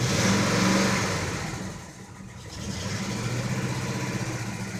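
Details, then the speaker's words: 1984 Chevrolet pickup, carbureted 305 V8, cold idle on a cool rainy day: even, steady idle with one light blip settling straight back, no knocks or misses; sounds like a healthy 305. "it sounds pretty good sounds like a healthy 3:05 to me"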